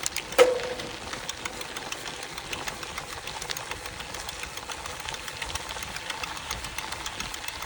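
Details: Canyon Roadlite:ONfly 5 e-bike, FAZUA Ride 60 mid-drive unit after about 450-500 km: light sharp clicks repeat intermittently over faint motor hum while pedaling; no error codes.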